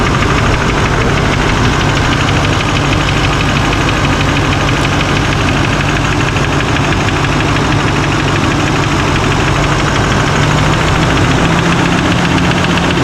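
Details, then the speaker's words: 2024 Chevrolet High Country Duramax diesel, first start after rebuild and radiator support change; loud idle with a steady clatter and faint rattling tick. Owner blames air in power steering and transmission, also wonders about a lifter or injector, or an unconnected engine ground. "I fired up right away actually, but making a little bit of a, that sounds not too bad, I guess. Probably needs a minute to get all the fluids and everything going."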